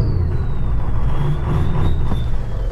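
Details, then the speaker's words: 2003–07 Ford 6.0 Powerstroke diesel with stock exhaust: deep rumble settling after a rev as the turbo whistle winds down, with a choppy, lumpy idle and shaking tailpipe; misfire from one down injector. "and it's just not smooth you can see the tail pipe shaking a little bit that's an indication of one injector B uh down and when you rev it up you can hear it as well"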